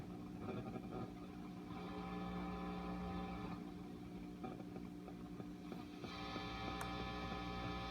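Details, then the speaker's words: Restored Sound City 50 Plus 50 W tube guitar head with rebuilt power supply, out of standby: low amp hum with fast ticking pulse about four per second from a mobile phone too close to the preamp tubes. "and those rhythmic pulses and stuff you're hearing that's coming from the from the phone being too close to the to the preamp tubes"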